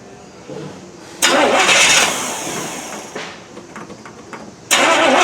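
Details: 1979 Chevy K20 first start after winter storage, weak battery on charge, new fuel pump and lines: two cranks each catch with sudden loud roar then fade out; fires but won't keep running, owner suspects weak fuel pump or fuel delivery, unconfirmed.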